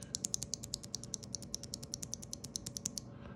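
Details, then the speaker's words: Stock Corsair OPX optical keyboard switch, about 30-50 g, with no lube or film: sharp bright clacks two or three a second, each with a thin ringing tail; unlubricated switch spring ping and scratch. "they're just stocked stock without any lube or film very clacky you can they're pinging around you you'll hear the difference here"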